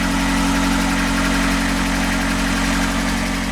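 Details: Narrowboat Aitch's diesel engine, likened to an old London taxi engine, just restarted after repair and fuel-system bleeding by a mechanic, holds a steady, even idle with a smooth low throb and no knocks or misses: normal idle.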